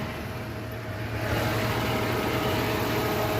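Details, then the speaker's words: 1989 Jeep Comanche Eliminator 4.0L, likely without thermostat, warmed at idle: steady idle with smooth whoosh of airflow swelling in as electric cooling fan kicks on; fan running normally. "it didn't take too long for it to get up here I heard the fan kick on honestly I was not expecting that to work"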